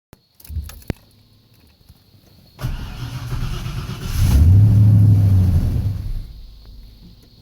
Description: In this instance the pcv valve lines were old and brittle causing the pcv valve to pop out of its socket